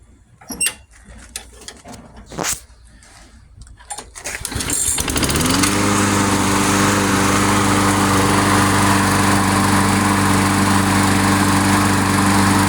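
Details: Briggs & Stratton 6.5 hp Craftsman mulcher mower engine after no-start tune-up (new spark plug, carburetor and jets cleaned): catches after handling noise, fast even steady run, no surging or misfires; normal running.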